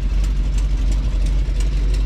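Deep idling V8 with a sharp puffing tick about three times a second from an exhaust manifold leak.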